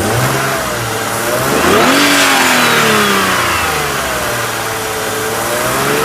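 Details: BMW engine one year after Vanos repair revs up cleanly and settles, smooth and even with no rattle or knock; Vanos noise gone. Normal revving.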